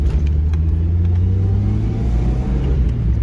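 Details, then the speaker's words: 1990s-era NA Mazda Miata, engine almost warm, after fixing a vacuum leak behind a misfire: steady, even low idle with smooth firing, no stumbling or hunting; idle low but not too low, idle screw now adjusts linearly. Normal idle. "the car is almost warm so far it's not stumbling at all the Idol's low but not too low"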